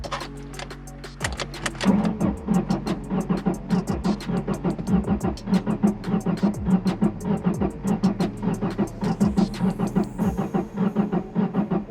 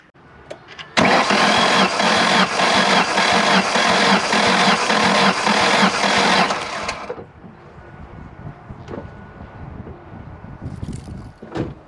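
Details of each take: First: Ford with 146,000 miles, fuel gauge on empty, ripped vacuum line: starter cranks on with an uneven chugging beat, never catches; low compression suspected, later cylinder 1 reads 180 and another about 100. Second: Ford with 146,000 miles, likely low on fuel, ripped vacuum line, cranking sounded odd to owner: six seconds of steady, even cranking chuffs; compression test later showed cylinder 1 at 180 psi, another at about 100.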